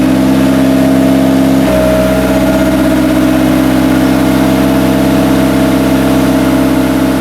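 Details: Idling after a five-month winter build, ahead of a clutch and transmission shift test: loud, steady idle with an even drone and one small step in tone partway; runs smoothly, no knocks or misses.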